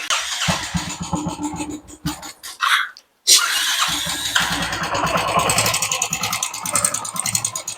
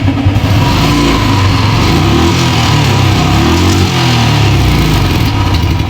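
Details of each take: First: Royal Enfield motorcycle at idle after start: light tick-tick tapping keeping time with the idle thump; mechanic suspects the hydraulic lifter, to be adjusted. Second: Royal Enfield single after repair of a tik-tik engine noise: strong, clean revs rising and falling smoothly with no ticking over the exhaust; sounds healthy.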